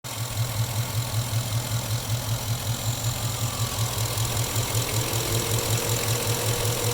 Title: Chevy engine knock?